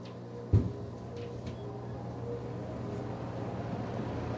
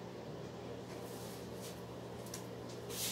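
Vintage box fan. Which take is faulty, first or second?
first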